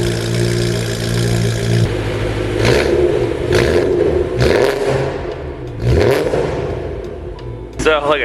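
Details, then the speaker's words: BMW E90 M3 V8 in shop before plug and injector service: deep, even, loud idle then sharp throttle blips rising and falling cleanly, described as pretty loud but sounding good. Normal V8 idle. "First, do a little startup cuz uh this car sounds pretty good. It's a little loud for me, but I think it sounds pretty good and some of you guys would like some uh sounds."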